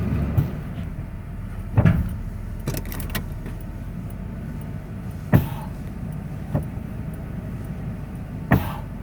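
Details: 1994 Ford F-150 4x4 with TTB lock-out hubs in free, idling as the brake is released; sharp hollow irregular clunks over a low steady idle; cause unknown.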